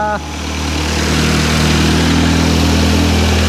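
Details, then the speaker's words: Audi S1 after fitting a replacement wiring loom, started by powering the starter trigger directly since the key won't start it, no coolant in: catches right away into a smooth, steady low hum with no misses or hunting; healthy idle. "it runs and it sounds good"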